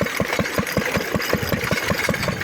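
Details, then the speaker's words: Lister D engine driving a homemade continuously variable friction-drive transmission on a locomotive pulling three people and a wagon on the flat: even engine beat about five pulses a second, with the lever released there is far less squealing; the drive runs smoothly. "And around now we realize that you can just let go of the lever and generally it stays in position and there's far less squealing going on if you do that"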